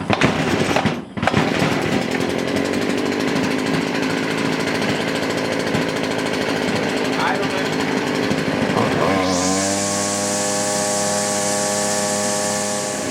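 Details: Stihl FS70R trimmer that was bogging with no power, after final carb adjustment with the air filter on: even idle, then a clean steady high whine; normal idle and rev.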